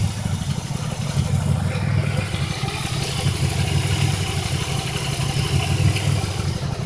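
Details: 2005 Impala 3800 V6 at idle: an uneven, stumbling beat that keeps dropping out of rhythm. It is a cylinder misfire that set P0305, persisting after the #5 plug, wire and injector were replaced. Cause unknown.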